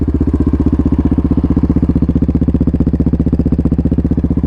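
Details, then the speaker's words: 2024 Yamaha Raptor 700 RSE single-cylinder quad with new exhaust, air intake and ECU tune, warm with the fan just cycling off: even, steady thump at about four beats a second with no knocks or misses; clean, normal idle. "It just turned off. Yeah, she's idling. She's purring like a kitten."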